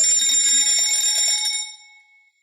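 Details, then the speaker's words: Electric fire pump controller with the emergency isolating switch thrown off: loud, high ringing alarm bell that stops abruptly when silenced, warning the isolating switch is off. "once I throw this switch all up we're going to have the Bell go off which is going to tell us that our emergency isolating switch is in the off position"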